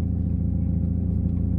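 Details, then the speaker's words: 1996 Mazda Miata 1.8 after new valve cover gasket, spark plugs and ignition wires, fully warm: steady even low rumble with smooth pulse, no miss, no oil leaks; normal warm idle. "no leaks everything's running good i would call that a success"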